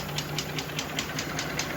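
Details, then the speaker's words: Mercedes G-Class, M104 3.2 L 220 hp, with a burnt piston, melted clogged catalytic converter and cracked manifold: a sharp, regular tapping about five times a second over the idle, and the whole engine shakes. Cause of the knock still unknown before teardown. "вот он трясется весь выбили катализатор был расплавленный полностью забитый аж выбила болты вот здесь резьба вырвана [музыка] что стучит тоже непонятно"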